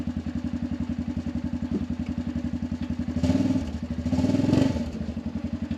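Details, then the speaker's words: Arctic Cat 500 ATV outdoors near 0°F, running after no-crank no-start fixed by recharging dead battery: even steady single-cylinder thump about three to four beats a second with brief blips; runs clean. "you hear the ATV running"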